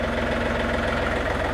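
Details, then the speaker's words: John Deere 3520 tractor diesel, 3672 hours, after throttle cable replacement: constant fast clatter holding steady at 2800 rpm high idle, non-adjustable per EPA rules, above PTO speed; no hunting or misses, normal high idle. "yeah perfect 2800 we didn't have any adjustment on the high idle the service manual said that that was fixed per EPA carb rules"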